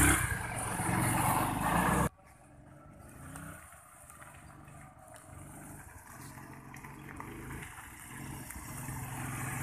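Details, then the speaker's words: Honda Vario 110 scooter revving, then dropping to an uneven low idle that stumbles; it hesitates on initial throttle with weak low-end power while mid and top rpm are normal, vacuum rubber fine, carburettor and nozzle being checked. "Jadi kalau mengenai jalan atau putaran tengah atas normal, tapi putaran bawah tidak normal. Coba kita perhatikan, berdebat."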